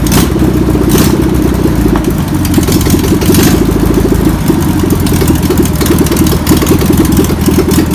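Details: Air-cooled flat-four of a VW pressed-bumper-panel bus, stored over 50 years, runs with a busy, rough-edged putter and some rev changes after penetrating spray and fuel are added. Still needs tuning. Owner suspects a bad fuel pump. Deemed a runner.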